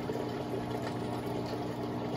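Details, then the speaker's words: Sicce return pump on 60-gallon breeder aquarium with Eshopps overflow box, first use: constant loud droning motor hum with water gurgling and splashing; pump sounds very loud, cause unknown. "no wonder why that guy was probably selling it what a ass doesn't that sound loud as hell pump sounds so loud"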